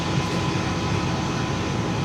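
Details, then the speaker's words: Lexus GX470 cabin blower after replacing the squeaking AC blower motor, microphone placed near it: steady air rush and low hum with no squeak or chirp; fix confirmed. "However, as you can probably hear, or not hear rather, there is no squeaking. So that did fix the problem, thank God, because that was driving me nuts."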